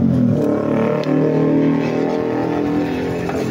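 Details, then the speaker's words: Small engine started without its pulley, only the backplate fitted, after worn slide pieces and a worn slide-piece track were found and an oil seal was leaking. Steady, even idle with no rattle; quiet now, the rattle is gone. "Ayun. Tahimik na. Wala na yung kalog-kalog."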